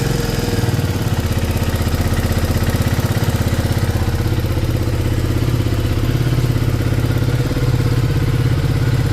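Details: KTM Duke 250 single at idle before engine work, bike also smoking: rough idle with fast uneven ticking about three per second; mechanic blames badly worn tappet shims, loose timing chain, plus valve and piston noise.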